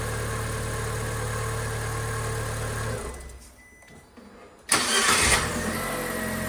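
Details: Fiat 500 after starter Bendix (starter drive) lubrication or replacement to fix a startup squeak: engine runs, shuts off, then the starter cranks briefly and it catches cleanly with a rev, no squeal; normal start.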